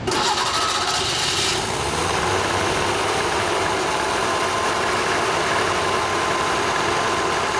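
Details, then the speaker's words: Vespa 400 engine after assembly (replaced No. 2 cylinder, welded case lip, new generator pulley, rebuilt generator, new bearings and belt), cold start on choke: catches quickly, then steady even two-stroke putter, no knocks or misses; rings still to seat. "choke okay we we have your motor running we will run it uh for another few days seat the Rings and it'll be ready to go"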